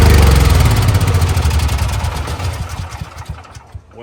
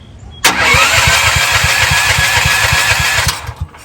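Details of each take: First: CAT RP7500 generator that sat unused and would not start, electric start on a fully charged battery, choke out, fresh fuel: catches at once and settles into a steady, even low thrum with no misses or surging; normal start and run. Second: CAT RP7500 generator that sat unused for some time, with choke on and fuel on: the starter cranks steadily at about four pulls a second for three seconds, but the engine never catches. It cranks without starting; earlier flooding is suspected, and fuel flow is confirmed.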